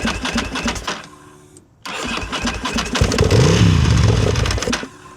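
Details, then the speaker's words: 2000/2001 Ducati Monster 900 twin, long sitting, new fuel pump fitted: cranks and fires briefly only on gas sprayed into the throttle bodies, revving unevenly then dying; spark fine, owner suspects fuel injectors, unconfirmed. "I don't know how much further we can go from here because it seems like it's the fuel injectors at this point cuz I'm spraying gas down the intake and it seems to be working fine."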